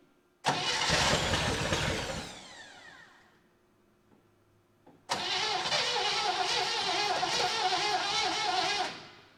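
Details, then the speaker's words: 1960 Chevy Brookwood wagon, first start after 20+ years sitting, rebuilt carb, new points, timing set, electric fuel pump, manual choke: fires, dies, restarts and runs very roughly before cutting out; owner suspects choke starving it. "it ran but it was very very rough"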